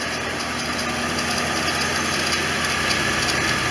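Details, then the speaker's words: 1989 Corvette V8 warm idle after OEM fuel injector installation, throttle body bypassed, fan on and temperature dropping; steady even idle with fine hiss, no knocks or misses; normal warm idle. "But with the fan on, temperature's going down, idling, everything's working correctly."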